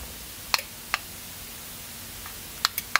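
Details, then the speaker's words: Amazon-bought Status remote control plug socket, plugged into wall: sharp isolated relay clicks a second apart when the remote button is pressed, but no red light and the socket never powers on; the same fault recurred on replacement units. "see there's no red light but again I don't if you can hear the click so it's communicating but it's just not powering on"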